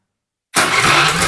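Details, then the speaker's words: Honda Vario 110 carburetor scooter that would not electric-start; starter button switch checked (power present at cable), refitted: starter engages and engine catches at once into an even, steady run, now starting normally. "oke teman-teman motor sudah hidup kembali saklarnya sudah normal ya"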